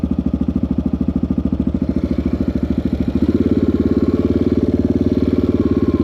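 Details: 1984 Yamaha XT600 single-cylinder, wide-open-throttle desert test after swapping the carburetor's wrong undersized jets (bike came from Colorado) for correct standard jets, pilot screw 1.5 turns out: strong, even thump pulling cleanly under load with only a tiny breakup; normal running, best it has been.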